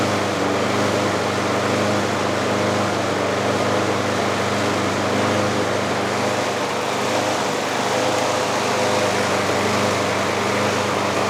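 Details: Trash-picked Craftsman budget 21-inch push mower, 6.5 HP single-cylinder, runs loud and fast with a steady high buzz that never settles; governor arm at the carburetor stuck, so the governor couldn't control speed (freed later with PB Blaster).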